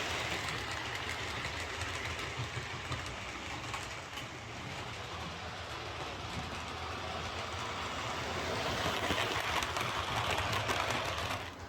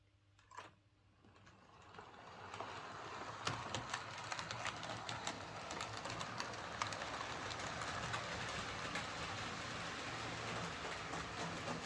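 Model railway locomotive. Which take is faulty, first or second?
second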